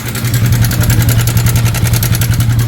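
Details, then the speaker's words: Yamaha Sniper 155, already on its second stock tensioner, before swapping to a manual tensioner: fast, loud metallic ticking clatter over the idle, steady with engine speed; cam chain tensioner noise, chain slapping. "Tensioner mga boss, confirm."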